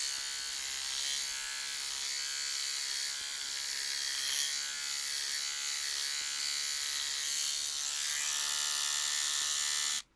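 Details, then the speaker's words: Battery trimmer fitted with a replacement blade that comes off loosely: loud harsh high buzz with a rough rattly edge, cutting off cleanly; sounds far worse than when new and is not cutting; cause unknown. "that sounds absolutely awful that did not sound like that at all when i first got it before i did any of these videos it did not sound like that"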